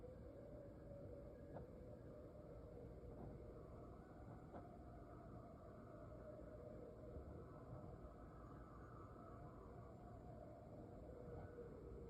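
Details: Heard from a vent around 12:40 am for about five minutes: a faint, constant low drone with a wavering mid-pitched moan; cause unknown. Low droning noise from the vent.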